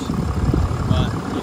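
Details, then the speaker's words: 2022 Ram 3500 diesel hot-shot truck that pulls gooseneck trailers, cold start at 41°F after sitting a couple of days, preheated: fires right up and settles into a steady low rumble, only slightly uneven and with no knocks, a normal cold idle. "fires right up perfectly fine cold start nothing out of at an ordinary"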